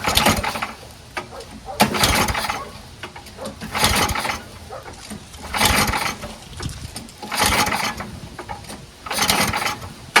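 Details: MTD Yard Machines 824 snowblower with 8 hp Tecumseh Snow King engine, on choke at high throttle, leaking fuel: repeated recoil pulls about every two seconds with no firing; no start, dirty carburetor.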